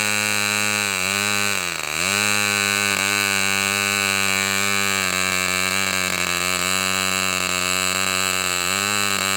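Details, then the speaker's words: Fox Twin glow engine, customer's, started with glow igniter: one stone-cold cylinder keeps cutting out while the other runs fine, high buzz dipping and wavering; high-speed needle leaned and igniter reapplied. "Um, yes, I was seeing it running. Both cylinders were running. This one was was uh shutting out initially, but I've got this high-speed needle pretty closed on this."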